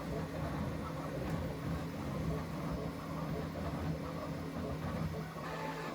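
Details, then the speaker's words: Bambu Lab X1 Carbon 3D printer mid-print on a foam insulation and concrete slab base added to reduce noise; steady low whirring with a soft even hum and no knocks or scraping, mostly the part-cooling fan heard, running normally. "and here it goes it's going to start going there so you'll hear it that be quiet it's more the fan you can hear"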